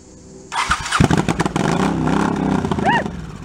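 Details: 1984 Honda Shadow VT700C V-twin, first start after 7 years idle and rebuilt carburetors and starter, main tank off, fuel leaking at hose clamps: short starter cranking with a few uneven pops that never settle; cranks but won't start.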